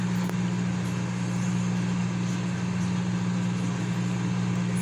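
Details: Consul CM020 20-litre microwave after magnetron replacement (previously loud noise and no heating), heating water for one and a half minutes. Low steady mains hum, no buzzing, arcing or rattling; heating, normal running.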